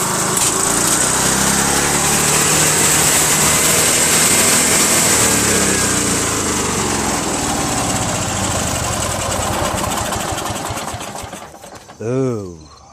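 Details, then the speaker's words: Craftsman LT1000 lawn tractor, 21 HP Briggs opposed twin, after fitting a replacement carb fuel pump with spring: runs briefly, clinking inside, then revs uncontrollably to a screaming speed ignoring the throttle and cuts out; governor not holding, cause unconfirmed. "that caused it to just bow you know rev super high uncontrollably it wouldn't respond to any of the controls over there as I was trying to lower the throttle you know"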